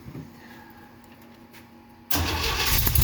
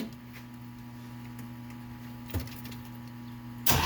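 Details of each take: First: 1969 Jeep Willys CJ5, cold spring start after sitting about 7 months over winter with a recharged battery, choke pushed partly in: quiet hiss, then it catches instantly and settles into a steady, even, smooth idle. Normal start and idle. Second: 1969 Jeep Willys CJ5 cold start after sitting about 7 months over winter, battery recharged and jumped, choke partly in, pedal floored and primed: slow cranking for a few seconds, then it catches and settles to a smooth idle; hard starting after long storage.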